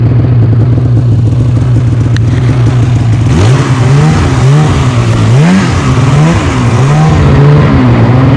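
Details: 2015 Polaris Switchback Assault snowmobile, two-stroke, after spark plug replacement for no-start, hard pulling and misfiring: starts second pull, crisp revs climbing and dropping cleanly over steady idle; problem fixed, running properly.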